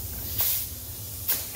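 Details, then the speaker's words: 2013 Ram 2500 4x4 with newly installed Air Lift LoadLifter 5000 air helper springs (P/N 57295), plastic lines, testing by filling with air chuck at fill valve: two sharp bursts of hissing air, audible leak found. "That's why you want to test it out. So I can hear that leak."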